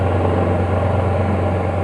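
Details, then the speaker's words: Washing machine after its dinamo motor was installed, running with a steady low electric hum and even drone and no scraping or knocking as the drum turns; the motor is running smoothly and is healthy. "Ah ya, posisinya mutar sudah. Suaranya pun mendengung-dengung udah bagus."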